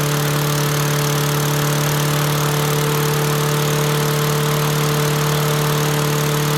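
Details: Toro Recycler mower with Tecumseh 6.5 engine: steady even drone at constant pitch, no surging or misfires; running smoothly.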